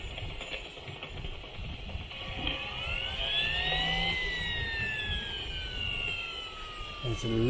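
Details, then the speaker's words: Model turbine engine gearbox being spun: glassy, gritty whine sweeping up then down in pitch; damaged second-stage bearing from oil starvation caused by a blocked fuel/oil restrictor. "Give me that ching ching. [ __ ] turbine. Sounds like a load of glass again."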